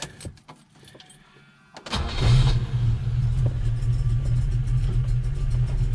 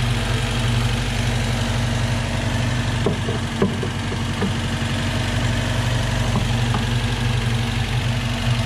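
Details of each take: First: Volvo B18 with Weber 32/36 carburetor, warm, choke open, idle mixture screw being set toward base setting: low, lumpy, uneven idle with a faint hiss, barely holding idle; running very lean. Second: Volvo B18 with Weber 32/36 carburetor, warm engine, sprayed for vacuum leaks: even idle holds speed with no pickup when sprayed; no vacuum leaks, normal idle.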